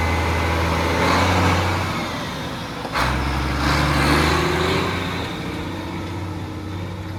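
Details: Mack Superliner diesel after engine repair: low rumble rises with a throttle blip and drops back to a smooth, even idle without knocking. Running healthy. It once blew white smoke (fuel pump suspected) and blew black smoke here.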